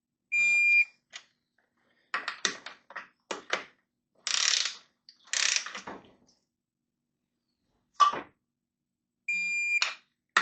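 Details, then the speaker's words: Torque wrench on Kawasaki Ninja H2 cylinder head bolts, bolt number three at 22 ft-lb after valve repair: two short high-pitched buzzes with clicks and handling noise between; wrench signalling target torque reached. "This is number three. I don't know if you can hear it, but it buzzes."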